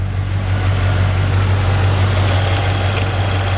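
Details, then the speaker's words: 1984 Chevrolet K5 Blazer Silverado at idle with AC on max: compressor clicks in and engages, idle changes just a hair but stays a deep, even rumble with steady firing and no knocks; blower audible; normal idle with AC compressor engaged. "compressors engaged and of course you can hear the idle on the truck change just a hair you know"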